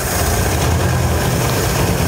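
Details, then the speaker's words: 1957 Chevy Bel Air, sitting since 1985, at first start after revival: a deep, steady, smooth idle with an even pulse and no misses, blowing some crud out of the exhaust, with no smoke; it runs normally. "come on sounds smooth yeah that's definitely running blow some crud out the exhaust did it"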